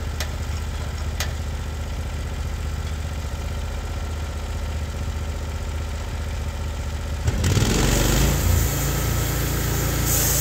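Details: Norwood HD36 v2 bandsaw mill with new roller guides replacing ceramics, cutting big black oak: even engine drone, then steady rougher hiss as blade takes the log, no labouring or chatter; cut exceptionally smooth, normal.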